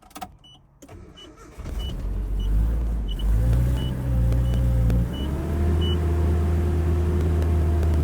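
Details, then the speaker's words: Nearly 40-year-old 1987 Nissan D21 Hardbody in neutral: engine catches after cranking but dies at idle and only keeps running, fairly smoothly, while the throttle is held; idle fault. "So you can hear it trying to idle and then it dies. So I'll show you. I can keep it running by giving it gas."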